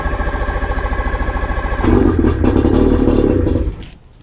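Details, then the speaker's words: 1993 Bass Tracker with 40hp Johnson two-stroke outboard on water muffs, key pushed to choke: steady rapid popping beat, catches and runs smoothly with no throttle at all; healthy cold start. "now that was with no throttle at all it popped right off"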